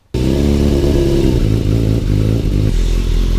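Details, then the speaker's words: Yamaha YZF600 Thundercat four-cylinder, tuned to 115 bhp on a dyno, idling on choke while warming up: steady even low burble, smooth firing, no knocks or rattles; normal warm-up idle. "Once warm, you can hear the choke coming in there because it smothers the air. It really does sound nice, and it does go very well."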